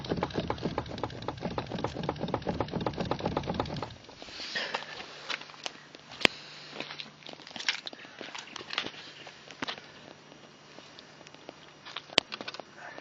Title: Стук рулевой рейки на Фабии 1.4 2013г. 95к пробег